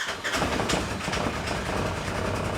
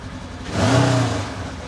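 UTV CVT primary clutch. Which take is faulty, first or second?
first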